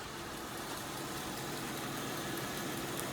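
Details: 2002 Kia Sedona (98,000 miles) after replacing the power steering pump, belt and idler pulley: soft even idle, no knocks, ticks or whine; engine runs quiet and steady.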